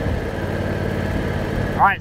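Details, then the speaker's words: 2006 John Deere X320 riding mower single-cylinder engine on a test drive after replacing the control module and carburetor solenoid, which had kept it from staying running. Throttle swept bottom to top; it pulls smoothly and evenly with no surging. "let's go ahead and go through our throttle here make sure everything still sounds good"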